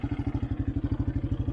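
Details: 1984 Honda Big Red 200 three-wheeler, restored after sitting about 25–30 years, with a new battery, a reworked gas tank, a carburetor and an oil change. Even, quick thumping at about eleven beats a second, steady and unbroken; running healthy.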